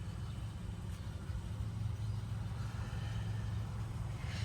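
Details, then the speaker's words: Honda Civic after IAC replacement and burping cooling system, engine hot after about half an hour idling: smooth, even idle in park with no hunting or surging; owner says idle drops or surges under load, headlights or AC. "I mean, it's idling fine in park now, which it wasn't doing that before."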